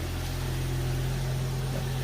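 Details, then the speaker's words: 2001 Jeep Cherokee TJ 4.0 after a Restore additive, a couple of minutes after a cold start at about 39°F: smooth idle with no knock or the usual loud chatter; only a little clutch noise. "so right now it would normally be chattering quite loud my clutch makes a little noise"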